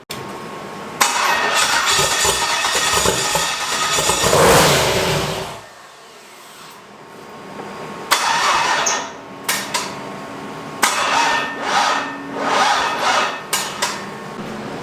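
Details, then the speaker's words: Turbo LS Mustang with an eBay turbo: the engine fires and runs rough a few seconds, dies, then is cranked and fired again in ragged bursts. The owner believes it needs a proper ECU tune. "and then it'll fire up but then it dies right away so we're gonna need a tomb for the ECU for sure"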